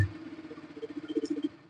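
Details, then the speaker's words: Bajaj Pulsar RS200 at idle in the shop: quick, sharp ticking about ten times a second over steady idle, harsh on the ear; tappet noise from excess valve clearance, to be fixed by tappet adjustment. "तो यह टपट नॉज है ना ये जो टपट नॉज है यह ऐसा नॉज है ना बड़ा कान में लगता है यह नॉज है बहुत कान में लगता है म चि च च आवाज करता है"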